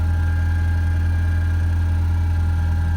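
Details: 2.0 EcoBoost-swapped Ford Ranger cold start, steady even idle with smooth low hum, no misfires, after cleaning carbon off intake valves with CRC cleaner and oil change; previously misfired, stalled and set P0507.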